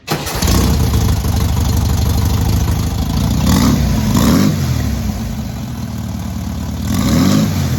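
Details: Newly rebuilt air-cooled VW 1600cc engine at its first start and break-in: starts promptly, then a steady flat-four idle with a few clean throttle blips rising and settling evenly; normal idle and revving.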